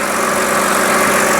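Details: BMW X-series SUV on a shop lift, idling during a shop visit: smooth, even idle with a steady hum and no knocks, ticks or whine; engine sounds healthy.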